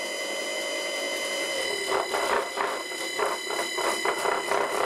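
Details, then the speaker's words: Old Hoover motor driving a vintage wood lathe through a frequency drive that stops at about 23–25 Hz instead of full frequency. Steady hum with an irregular surge of about four per second as the motor labours. Cause unclear. "The frequency drive doesn't go up to its full frequency. It stops at 23 Hertz. And the motor sounds like it's having the same problem as the other one, which really sucks."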